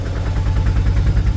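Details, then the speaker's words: Autorickshaw diesel after its morning cold start has run a while: an even thump at about nine beats a second with no skips, the earlier intermittent beat gone; normal steady idle. "ഇപ്പോ ആ sound ഒരുമാതിരി continuous ആയി ഒരേ beat ആയി അതായത് ആ വിട്ട് വിട്ട് അടിക്കുന്നത് മാറിയിട്ട് ഒരേ ഒരു സ്പീഡിൽ ഇപ്പോ നമ്മുടെ വണ്ടിയുടെ എൻജിൻ അങ്ങോട്ട് സൗണ്ട് വരാൻ തുടങ്ങിയിട്ടുണ്ട്"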